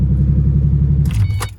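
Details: 2005 Ford Mustang starting after two new keys were cut and programmed to the PATS immobilizer: smooth, even low idle rumble with no misses or knocks, then switched off with keys jingling; immobilizer light off.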